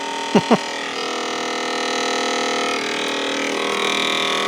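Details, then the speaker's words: BP Microsystems Silicon Sculptor 3 device programmer just plugged in and powered: two quick knocks, then a loud, steady, even-pitched high whirring drone, thought to be its cooling fan. "can you hear that I think it's think is that fan"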